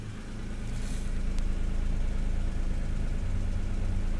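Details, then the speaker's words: 1992 Acura NSX idling during a pre-purchase inspection, now at the right tailpipe: steady even low exhaust burble with no pops, misses or backfires; normal healthy idle. "right same as before just a quiet there for a second so we can listen and also look at the way the emission is burning"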